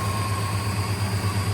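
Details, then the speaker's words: 1958 Studebaker Golden Hawk after unsticking the carburetor needle and seat, just started: smooth steady low idle, even pulse, no ticks, misses or hunting; normal idle. "All we had to do was unstick the needle and seat. Not bad."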